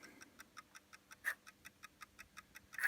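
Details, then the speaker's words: Sega Saturn (Japanese Derby Stallion skeleton model) that won't read discs: fast even ticking about five or six times a second with no disc spin, and no red light visible from the laser, so the optical drive laser is judged completely dead. "see if we get a red light coming out of it which we don't appear to be so that laser could well be completely dead"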